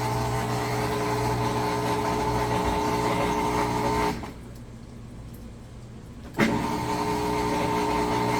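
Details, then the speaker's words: Amana (Whirlpool-made) top-load washer that would not drain; drain pump run in diagnostic mode after a big pair of boxers was cleared: steady motor hum, constant mid tone and water flow, brief pause then resumes evenly, pump draining normally. "it works so it's good to go"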